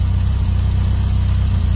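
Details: Donor engine after valve clearances (about half too tight) reset per manual and timing checked with light: deep even idle, steady low beat, no lifter ticking; valvetrain now quiet, carb may need slight tweak.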